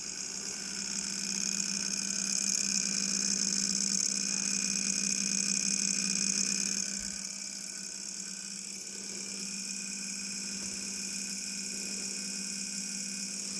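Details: Wine cooler with plenty of ventilation around it: steady low hum with a strong high whine over it that drops slightly partway through. Loud compressor running; the cause is unclear.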